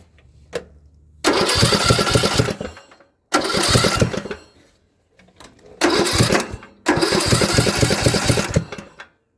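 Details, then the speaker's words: Craftsman LT2000 riding mower engine cranking in four loud, raw bursts without catching, far louder than normal; not the muffler; crankcase overfilled with oil; owner suspects a blown head gasket, unconfirmed. "It honestly just sounds like the exhaust isn't even on. The exhaust pipe sounds broken. Because it shouldn't be that loud when it cranks."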